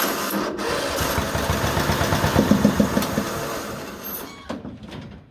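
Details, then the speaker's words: STX38 Hydro lawn mower: steady starter cranking about three and a half beats per second for several seconds, never catching, with fuel spitting from the exhaust pipe; cranks but won't start. "Right here, the exhaust pipe, she's spitting out fuel."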